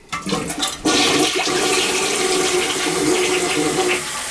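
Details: Rental property toilet after clearing a rag-like obstruction and making adjustments: strong rushing swirl of water draining steadily without gurgling or stalling; now flushes normally.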